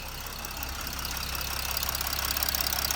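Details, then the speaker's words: Chrysler 300C with Mercedes OM642 3.0 litre turbo diesel, 181,000 miles: steady light ticking clatter about three ticks a second over an even idle, likened to a boat engine; normal diesel noise, engine healthy. "Mercedes OM 642, 3 litre turbo diesel. Dirty old diesel. Tick, tick, tick, tick, tick, tick. Sounds like a boat engine, doesn't it?"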